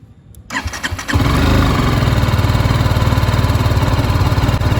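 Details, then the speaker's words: BMW GS310, about 1.5 years and 25,000 km, single-cylinder, microphone near the engine: the starter spins briefly, the engine catches within a second and settles into an even, steady thump with no ticking. Normal start and idle. "hope you can hear it I'll take the microphone once again closer to the engine at least to my years this is more pleasant to hear"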